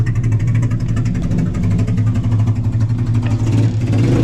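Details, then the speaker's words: Car with big injectors and an unknown chipped ECU: rough, choppy revving with uneven pulses and stumbles under throttle, motorcycle-like; misfire suspected from mismatched injector map and dead times, stock injectors to be swapped to rule out. "I told him to uh swap out the uh injectors for some stock ones to kind of rule out the misfire sound or whatever this choppiness that it has. It sounds like a motorcycle to be honest with you guys."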